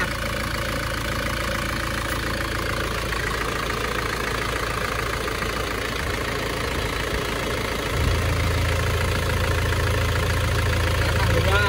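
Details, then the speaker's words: Isuzu Panther diesel (Euro 2) after a repeat engine rebuild, driven up to full operating temperature. A smooth, even idle clatter with no misses or knocking, and it stays smooth when revved. Smoke is cured: a normal, healthy idle. "nah ini suara mesinnya seperti ini halus y"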